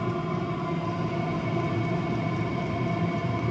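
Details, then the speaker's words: Chinese diesel heater after de-coking, about 14 minutes running, turned down from 5.5: steady, even hum with a smooth low drone, no rattles or knocks, audibly slowing itself down; normal running. "so there you go you can actually hear that that's slowing itself down really"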